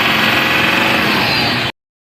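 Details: 2017 Toyota Land Cruiser VXR 200 diesel after repair (was knocking, low power, losing oil; fixed without overhaul, turbo pressure sensor checked): short burst of steady, even idle with no knock or roughness.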